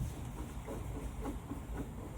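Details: Hillman Husky, wheel bearing spun by hand: a dry gritty rumble with a faint catch about twice a second, feeling notchy, front bearing found at fault; rough wheel bearing, later replaced.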